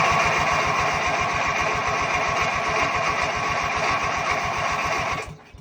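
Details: Ranch King riding lawn mower, inline spark tester on the plug: steady fast cranking chug about four beats a second that never fires, tester light not flashing; owner suspects bad ignition coil; cranks but no spark.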